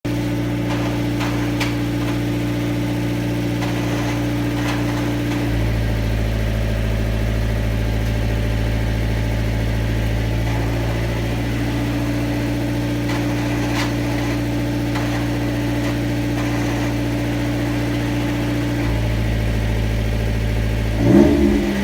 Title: MX5 SE clutch noise